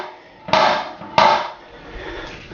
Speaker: посмотрите внимательно поднимает крышку унитаза он постоянно бьется от бачок и спеть им казалось бы нельзя ничего поделать